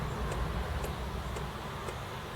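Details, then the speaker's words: Commodore Amiga 500 Plus floppy drive, tested after months in storage, loading a disk; crisp head-step ticks about twice a second over a low hum, loads fine; normal floppy drive operation. "as you can here that's working okay it's loading all right"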